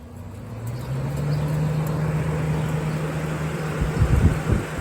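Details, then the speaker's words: Curb-found General Electric Thinline window air conditioner, owner thinks 1960–63 open-fan model, 12 amp unit, first start-up with fan only: low hum builds as the fan spins up, then a steady whir without scraping or rattle; fan works normally. "Working just fine. At least the fan, that's just the fan, so we're gonna shut it off."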